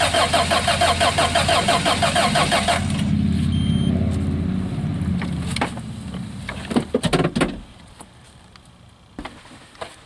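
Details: 1986 Toyota van that sat about 5 years, new starter just fitted, cold day: starter cranks evenly about three turns a second for three seconds but never fires; crank no start, no fuel delivery, owner suspects fuel pump.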